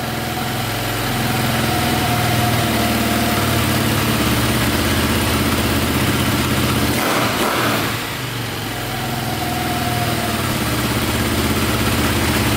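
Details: Cheap KTM 450 single-cylinder dirt bike after carb fix and oil added: steady even idle with clean regular thump; slight click at shutdown suspected from the one-way starter bearing.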